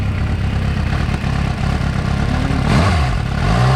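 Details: 2006 Suzuki GSX-R750 four-cylinder idling low and lumpy, stumbling and rising briefly, as if not all cylinders fire; stalls at lights, weak under load; coils tested similar, owner suspects a faulty coil pack, not confirmed.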